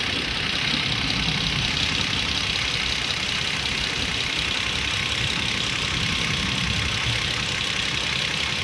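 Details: Toyota Avalon before repair, with the injector and ignition coil tested and working: a rough idle with an uneven stumble about twice a second. A misfire at idle.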